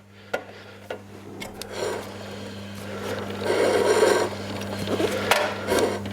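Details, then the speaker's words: 1967 BSA A65 Thunderbolt under restoration: irregular dry rasping scrapes over a low hum as the chain rubs the chain guard. Fixed by adjusting the guard by hand. "chúng tôi đã phát hiện ra vấn đề là gì. Chúng tôi đã có dây xích chạm vào bộ phận bảo vệ xích, và nó có vẻ như nó được nâng cao hơn nữa đối với bộ phận bảo vệ."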